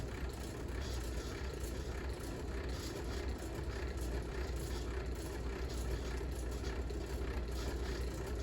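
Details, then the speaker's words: 1982 Fasco 38-inch Worlds Fair model 948 ceiling fan on variable speed: rough gritty roar, steady low rumble and faint rhythmic beat with wobble; crumbled rubber flywheel and bad bearings; worn flywheel and bad bearings. "And you can hear this fan sounds very shitty. I'm actually gonna try to find a replacement flywheel for this thing and hopefully fix this and learn how to do it myself."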